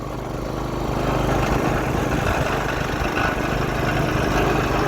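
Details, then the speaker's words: Log splitter small engine test-run after the hydraulic pump was rebuilt with a kit: a steady drone that dips slightly under splitting load and recovers evenly. Normal running. "all right we'll give her a little start and if you can hear me over the engine we're gonna crank it down and do a little log split"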